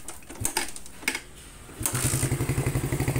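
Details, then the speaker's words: Carbureted Suzuki Satria FU motorcycle, large-cc engine with stainless header and Thai-style aftermarket muffler, PE28 carb: after starting, deep, loud, lumpy idle thump about four beats a second; loud exhaust is normal for this setup. "teman-teman suaranya bisa dibilang sangat berisik karena cc besar terus leher knalpot juga diganti stainless tidak orinya knalpotnya juga sudah menggunakan Thailand"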